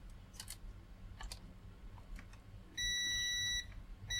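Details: Multimeter continuity test tracing reactor wires to bridge rectifier on Giatsu 3DDC mini split air con board (error F4): quiet ticking handling, then steady high beep under a second and again near end; connection continuous.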